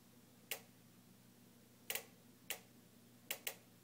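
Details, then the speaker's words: Jenn-Air stove, newly purchased: igniter ticks constantly at an uneven pace, about five clicks in four seconds, for a minute straight and keeps going when turned off; repairmen have come eight times without fixing it, cause unknown. "this is the sound of my jenn-air stove newly purchased which randomly makes a ticking noise we've had a repairman here three times and they can't fix it so far it's been ticking for a minute straight"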